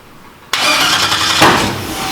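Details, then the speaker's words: Race engine: sudden harsh, ragged roar that never settles; flooding with excess fuel because the MAP sensor wires were swapped. "yeah so much fuel in there still i'm sure in the exhaust"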